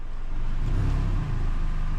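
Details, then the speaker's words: 2012 Hyundai Elantra after a new flex pipe and tightening the untightened flange gasket, light revs while parked; deep even exhaust note, no puffing or ticking at the flange, though a small leak remains further back. "That's pretty good, guys. I still hear a little bit, but it doesn't seem to be leaking at the flange right now."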